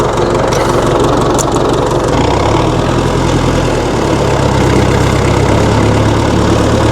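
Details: 1960 Massey Ferguson FE35 4-cylinder diesel tractor, after sitting long in a paddock: steady, even low idle clatter with a firm low thump and no misses; idles normally.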